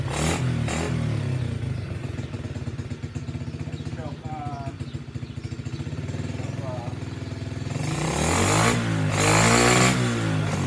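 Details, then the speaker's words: SSR pit bike, small single-cylinder, on its original worn carburetor with the choke on: even popping, then clean revving and dropping back. It runs and responds to throttle, but the kill switch doesn't work. "so yeah the skill switch doesn't work well i guess it killed itself okay well that's good news it runs"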